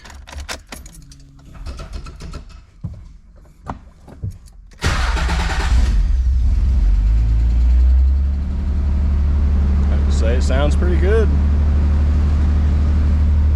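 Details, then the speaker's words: Nissan 300ZX (Z32) at startup and idle after differential bushings were replaced and larger test pipes with new exhaust gaskets were installed; test pipe heat shields were suspected of rattling. It catches after brief clatter and idles evenly, with no underbody rattle so far. "this isn't rattling anymore so that's super nice I'm not hearing that atrocious rattle yet granted it doesn't always do it right away"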